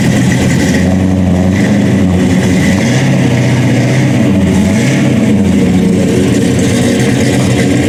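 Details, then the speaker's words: General Lee tribute car with a 426 Hemi and 8-71 blower, 5-speed Tremec and MSD ignition, detuned for street use (estimated 800–900 hp): a loud, lumpy idle with crisp throttle blips that rise and settle cleanly; normal running. "let me set this camera down and see if we can't uh open the doors up and uh give a little flash up for you guys I'm sure you'd all love to hear that all right there it is it runs now"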